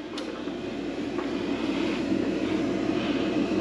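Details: Mr. Heater Big Maxx 50,000 BTU garage heater, about a year old, after blower motor replacement, run with side panel open: even whirring hum builds and settles steady without rattles or scraping as flue inducer motor spins up normally.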